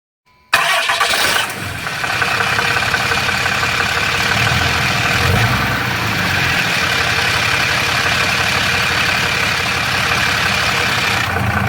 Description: This is a normal but annoying noise some of the triple disc torque converter will produce. This is a Dodge Ram 6.7LCummins Diesel with a DPC triple disc torque converter.